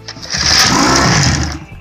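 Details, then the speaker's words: 1991 Johnson 6hp outboard on bench in neutral after water pump impeller, pickup and screen repair, compression check and tune-up, on starting fluid without fuel line: about a second of rapid popping then dies; compression fine. "it farts all we gotta do now is put a fuel line on it"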